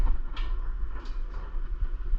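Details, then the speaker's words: Ariens snowblower engine with dark, low oil, hand-cranked slowly: firm, even puffs pushing back against the rope each turn; good compression. "You could also hear it coming out there. Hear that? That's good. So we know that the motor's got compression."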